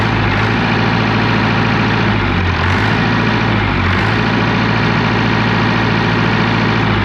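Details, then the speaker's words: Old dozer diesel just started after new filter work and a pink-painted injection pump: deep steady idle with slight rough clatter, no misses or knocks. The engine is always a little smoky and noisy but runs like it used to. "I'm not saying she's like a kid, but she sounds like she used to before. It's uh it's always been a little smoky and a little noisy, but she's a running"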